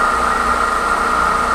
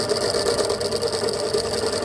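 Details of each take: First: Pedestal stand fan after fixing its loose, noisy motor bearing without replacing it: smooth, even mid-pitched hum with no rattle or scraping; fan runs quietly and normally. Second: Pedestal stand fan brought in for loud noise, tested on a series test lamp; loud constant rattling buzz with a gritty, chattering edge over the motor hum when spun; loose fan motor bearing noise.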